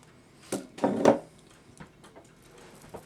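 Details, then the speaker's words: Antique Sessions clock movement 2 after reassembly, striking being adjusted: a few light clicks and a short rattle, then nothing; strike tries to release but the lift lever isn't raised enough. "Nope, I hear it trying to click and do it, but it's not doing it. Yeah, see that? It's popping up, but it's not pumping up enough to lift my lever."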